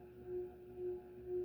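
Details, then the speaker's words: Sears/Emerson Turn of the Century 52" ceiling fan, K63 motor, model 292.906900, on solid-state speed control: low steady hum swelling and fading about every half second, a 60-cycle buzz like amplified K63 whine; no vibration isolation except at ceiling; cause uncertain. "it's the buzz i don't like the like really 60 cycly one i don't like but that just sounds like i'm like a like it's got that k-63 wine but amplified"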